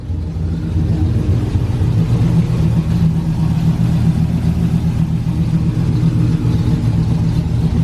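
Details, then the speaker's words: 2012 Ram 1500 Hemi freshly cammed (FRP Tomahawk cam), idling about 1000 rpm: deep V8 rumble with loose puffing tick roughly four per second, a bad exhaust leak, probably both sides, spoiling AFR readings; fix planned tomorrow. "It might just need to be driven. Yeah. It's got a hell of an exhaust leak."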